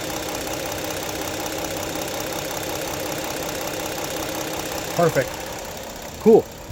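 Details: 2016 Ford Explorer Police Interceptor AWD, 3.7 V6, 111,079 miles, at idle: steady, even idle with a light regular top-end patter and no knock, miss or hunting; normal idle.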